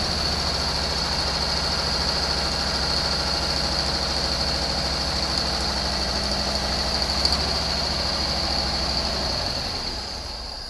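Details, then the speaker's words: 1974 Chevy Nova V8 being readied for autocross, distributor turned by ear, timing not yet checked: runs with an uneven, unsettled note then fades out; fuel delivery issue suspected, possible fuel line obstruction. "all right so it appears we have a fuel issue we definitely have a fuel issue"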